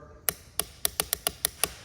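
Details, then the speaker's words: Four-wheeler (ATV) click-no-start: key on and start button pressed, sharp single starter relay clicks, about eight in two seconds, but the starter never cranks; relay has battery feed, starter lead and control wire. "and it's clicking but no start so in this situ ation something to verify is you can take a multimeter set it up to voltage"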